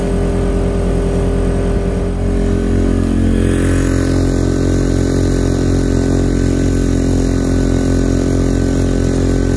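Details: Quieted diesel generator and old variable-RPM inverter generator in a bus RV conversion, both loaded: steady drones, one rising in pitch and loudness as load comes on then holding; inverter ramps RPM and fuel, diesel barely changes; both normal.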